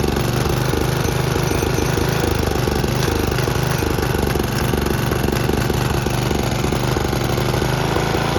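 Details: Snapper riding mower, single cylinder, with an aftermarket Chinese carburetor whose needle and seat leak: a loud, lumpy chugging that never settles, with black smoke. It runs rich because a float stuck down is flooding the carburetor.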